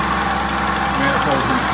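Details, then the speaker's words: Dodge/Chrysler 5.7L truck, just over 80,000 miles, engine running; rough rumbling growl with gritty mid-pitched whirr over the engine, not leaking yet; water pump bearing noise, pump replaced. "it's making a really weird noise and that's it's been the terminus to water pump so I'm gonna have to change that"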